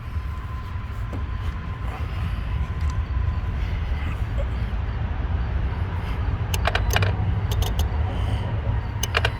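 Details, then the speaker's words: 2010 Chevrolet Traverse after an engine replacement by another shop, stalling and no-start, key on with the engine off: sharp irregular relay clicks in bursts over a low hum as the fuse box cycles power; engine wiring misrouted. "Now, do you hear that? That's our fuse box cycling power on and off and on and off and on and off. And that's because when they put the engine back in, they did not route the wiring back correctly, so it causes problems."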